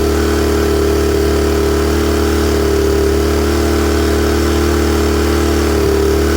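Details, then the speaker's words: Honda EM-series small generator single-cylinder with automatic choke: runs on choke slightly rich at first, then clears and settles into a steady, even drone with no hunting, surging or misfires. "so it'll run on choke it won't run great even a little bit Rich for a little bit and then all of a sudden it'll clear itself up and run good"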